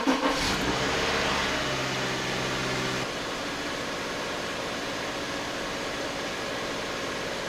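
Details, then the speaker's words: 2009 Subaru Outback with a cold hard-starting history, just after its mass airflow sensor was cleaned: a short crank catches right away, flares up, then drops to a steady, even idle; a healthy cold start. "so I think that's all the test I need the car started fine it's obviously functioning and uh the sensor's been cleaned"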